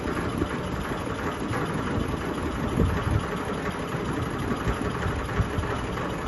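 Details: Sony ceiling fan, 2022 model, at full speed: loud, steady rumble with uneven throbbing and rattle throughout, wobbling and vibrating hard. Wobble and vibration noise.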